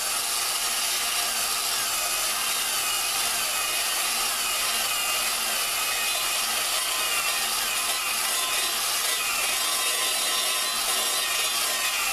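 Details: Lapping a valve into its seat with a drill and grinding compound on a 4.7 Dodge cylinder head. A dry, gritty scratching hiss held steady; the granular compound is still cutting, before it thins out and stops doing any good.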